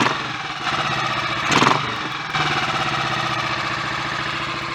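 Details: Royal Enfield 500 single, just rebuilt with cylinder head and valve gear refitted, Redditch S cams (inlet retarded one tooth) and a 230 main jet. After a short blip it settles into an even, steady idle; sounds mechanically good.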